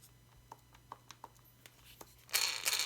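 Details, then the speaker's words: Losi Super Baja Rey front differential, turned by hand before teardown: uneven dry clicks about three a second, then a harsh rattle as it spins faster; the gears sound dry with no grease. "So here it is, and it does not sound too good. Sounds pretty bad, actually."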